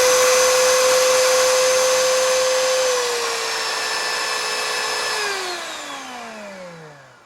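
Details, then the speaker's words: 20-year-old Oreck XL2800 vacuum motor after bearing repack and carbon brush seating, with only slight sparking at switch-on: a steady, clean high whine, then a smooth wind-down after switch-off. Motor in good shape. "it's pretty sweet it's in really good shape well at least for something was 20 years old anyway"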